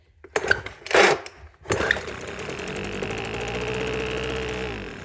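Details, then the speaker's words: Weed Eater FL1500 Featherlite leaf blower, long unused: a couple of pulls on quick-start spray, then the two-stroke buzzes steadily about three seconds and winds down; runs briefly, pull starter feels tight. "Okay. She does run. That starting mechanism's a little tight."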